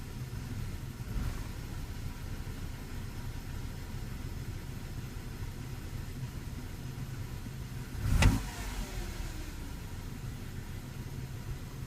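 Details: 04 E46 BMW 316ti Compact N42 B18 starting and idling with an uneven, lumpy low rumble and one sharp knock; a scan showed error code 272C/E1 "LR-adaptation add. per time".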